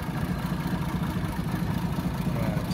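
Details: 1937 Plymouth Coupe, original six-cylinder, idling with the hood open; distributor and vacuum advance worked on, original generator and starter, master cylinder replaced. Soft, even low pulsing at a steady slow idle with no knocks, ticks or misses; normal idle.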